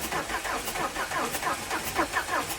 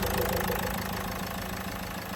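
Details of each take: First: Renault Duster diesel, cold morning start: cranks about five seconds before catching, then settles into a rough, ticking idle. Three injectors were serviced and one replaced earlier; the owner also reports knocking. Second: Renault Duster diesel, first morning start after fixing a long-crank starting problem by replacing a faulty injector washer: even idle with light, regular clatter that stays steady and settles slightly quieter; normal diesel idle.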